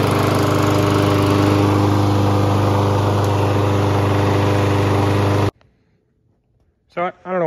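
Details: 2016 Toro Recycler push mower, free find: steady even single-cylinder drone, no misses or surging, before shut-off; runs smoothly.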